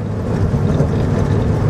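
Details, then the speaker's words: Morris Minor petrol engine driving after ignition repair: steady, even drone with no stumbling or cutting out; runs much better, though the carburettor still needs sorting. "but it runs so much better good old Jean here she's running well like she used to"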